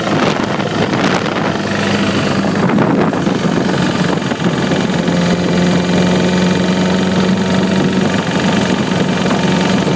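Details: 2009 Repsol motorcycle idling, busy chattery tick over low exhaust thump; cam chain tensioner already replaced and noise remains, cause unknown.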